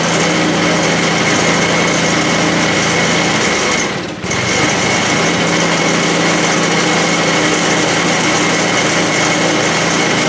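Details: 1980 MTD SnowFlite 5-20 snowblower on a new carburetor, cold-started at about -12 after hours outside, clearing snow: steady high buzz with only a brief dip as it takes snow, recovering at once; running healthy under load.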